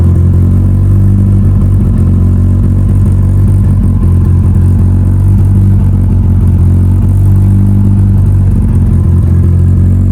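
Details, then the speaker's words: Mitsubishi Evo before dyno prep, cold engine, first start of the day after installing both fuel pumps as the fix; strong steady low drone with even beat, no knocks or stumbles. Normal cold idle after repair. "All right. Engine is cold. Fuel pressure zero and fire it up for the first time today."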